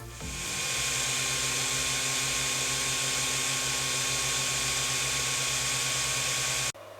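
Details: Voxelab Aquila 3D printer, original 60x10mm power supply fan, possibly hair or plastic debris inside: loud steady whirr with high hiss and constant tone, stopping abruptly; loudest part of printer, to be replaced with Winsinn silent fan.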